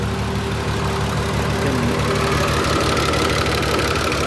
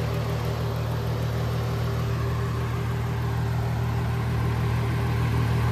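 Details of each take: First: VW Jetta VR6 with newly installed engine, straight-piped, first start-up: loud raspy idle with fast light top-end ticking about three a second; owner unsure if valves, check engine light on; lifter tick, oil-starved hydraulic lifters on first start. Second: VW Jetta VR6, straight-piped, warm idle after about 10 minutes of driving: smooth even low hum, no ticking from the head; earlier lifter noise gone once oiled, normal idle.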